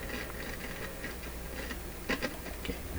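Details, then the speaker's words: Monarch SA-614 stereo amplifier, volume knob turned: quiet hiss broken by irregular crackles and pops as the slider loses contact, resistance spikes and it picks up hum; dirty volume control. "dirty volume control. At times the resistance of this is shooting up because of the bad contact of the slider, and when the resistance goes way up it becomes a little more of an antenna."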